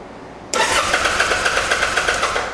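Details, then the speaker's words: Kawasaki Vulcan 800 Drifter (VN800E), side stand switch wire disconnected, spark tester fitted: starter whirs with steady rapid compression pulses about two seconds, never catches; still no spark, later traced to faulty ignitor. "okay still no spark"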